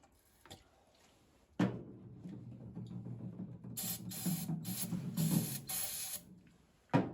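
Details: 1952 International Harvester L112 engine, decades unrun, spark confirmed at plugs, extra gas: long steady cranking with uneven near-catches that never settle into a run, then a torn belt breaks; failing ignition coil later blamed.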